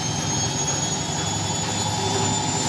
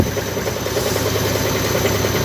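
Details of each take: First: Front-load washing machine at maximum spin speed with a load, after fixing a loose top counterweight that had shifted back: steady high-speed whoosh with no thumping or banging; the earlier heavy vibration and loud noise are gone. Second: Side-door washing machine during spin: fast, pulsing drone with a rhythmic shudder and strong vibration; loose counterweight bolts letting the drum shake hard.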